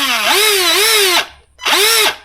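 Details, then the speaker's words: Arrma Gorgon RC truck with gear noise after a hard nose hit, gear cover off and gear held in during diagnosis: two throttle bursts of clean, speed-following motor whine, no grinding or clicking; motor itself fine, shaft likely not the cause. "So it's not the motor itself. I don't think it's this shaft."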